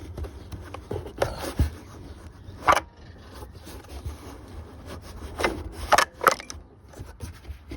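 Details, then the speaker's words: Craftsman lawn tractor, 15.5 OHV engine, left in a shed about 4 years, turned over by hand: irregular dry scrapes and rubs with each pull; owner suspects critters or a nest in the flywheel shroud. "that sounds like something was in there looks like it a plastic fly wheel or some type all right we're going to have to take the copper off I think just to see if there's any Critters in there"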